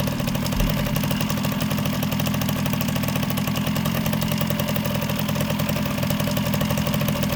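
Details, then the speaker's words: 1979 Kawasaki KM100 two-stroke with failed oil injection and an electronic ignition conversion; it burned half a tank of oil while sitting. Rough, labouring idle that never cleans up, bogging from oil flooding. "you hear how it has it taped a little bit fog and it's because it's so oil followed in there like I said it went through a half a tank of oil just sitting there"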